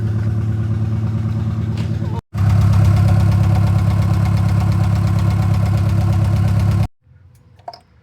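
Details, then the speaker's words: Turbocharged Honda Accord F23 petrol engine misfiring at idle and everywhere, uneven stumbling lope; customer complaint: breaks up entering VTEC. Swapping coil packs between cylinders, the misfire followed one coil; failed coil pack replaced. "Hell, it's missing at idle. It's missing everywhere."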